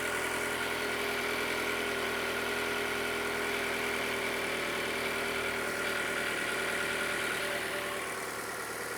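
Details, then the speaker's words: Toyota Camry with 77,000 miles, just started after an oil and filter change, idling: a fast, light, even direct-injection injector tick over a smooth hum; loud but normal, nothing wrong. "You can hear that direct injection, how loud it is. These engines, they sound like"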